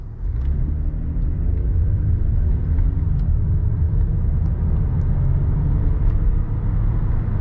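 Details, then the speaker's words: 2009 Lexus ES350 accelerating on back roads: deep droning exhaust rumble rising with engine speed, like a half muffler delete, louder when cold; cause unknown, owner plans to take it in. "It was louder when it was colder, but basically what it sounds like is it sounds like I did like a halfway muffler delete. It makes this loud like rumble sound."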